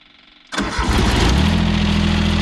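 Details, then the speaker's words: John Deere 332 garden tractor, newly bought, cold start: brief crank, catches at once and settles into steady even low idle without misses or knocks, a little white smoke clearing quickly; normal cold start. "no problem on startup a little bit of white smoke but that clears up real quick"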